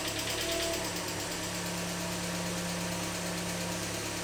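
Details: Engine idling right after an oil change with almost 4 litres of fresh oil, level mid-dipstick: even, steady idle with a smooth fast patter and no separate tick; the earlier slight tick went away, engine running healthy.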